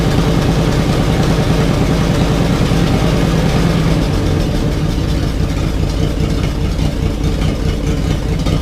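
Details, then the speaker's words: 1987 Jeep Wrangler YJ 4.2L, first start after arriving as a basket case, no exhaust fitted: loud idle stumbles and surges unevenly, misfire-like rough running. Cap and rotor already new; owner plans new plugs, cause unconfirmed. "that's not too good one it's doing that obviously you can hear it's not consistent at all so I'm gonna do probably thorough set of plugs in it"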